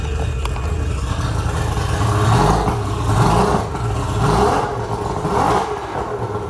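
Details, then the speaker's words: Boat engine hotwired and started on choke, RPM no longer dipping as before: revs climb and fall in even blips about once a second, pulling smoothly without hesitation or sputter; normal revving. "Oh, she sounds good. Maybe Monday we'll take the boat back out and see how she's running, see if she gets up on a plane any better."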